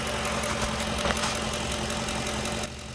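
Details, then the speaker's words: 2014 Ford Expedition 5.4 SOHC V8 with left-bank misfires 5–8 blamed on stuck cam phaser oil control solenoid; after actuating it and reconnecting, steady, even idle with smooth low rumble, no misses. Normal idle. "so now if i just hook up the connector itself it runs fine and i took it for a test drive everything"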